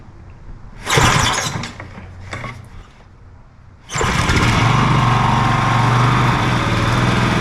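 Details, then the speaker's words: John Deere 14SB walk-behind mower, unknown last run, fresh 10W-30 oil, new fuel line and filter, starting on the second pull with choke on: runs well without smoke, but a dry whirring drone from the worn blade brake clutch bearing (6205), later replaced. "Um, I'm hearing a bearing noise. I I bet you the bearing I don't know if there's one or two bearings for that uh blade clutch, but those sound like they're not doing so good."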